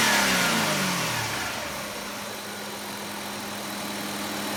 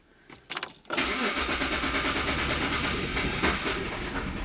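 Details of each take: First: 2004 Hyundai Sonata 2.7 L, code P0335, after crankshaft sensor replacement fixed power loss: engine settles to a steady, even idle with a clean constant hum and no misses or stumbles; normal idle and rev. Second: 2004 Hyundai Sonata 2.7 L with code P0335 and power loss: the engine dies on its own and the traction control light comes on, then a few cranking bursts until it catches and settles to idle; intermittent stalling from a crankshaft position sensor fault.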